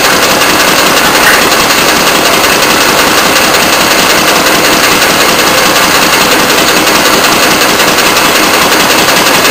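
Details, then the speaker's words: Antique Fairbanks Morse throttle-governed hit-and-miss engine running at 450 rpm on a Prony brake dynamometer as load is applied: loud, regular popping beat that holds its pace under load; firing cleanly and healthy. "okay the engine's running I'm not sure if you can hear me but I'll take the uh measurement first of the RPM it's running at 450 RPM now we're ready to add the weight and impose the load"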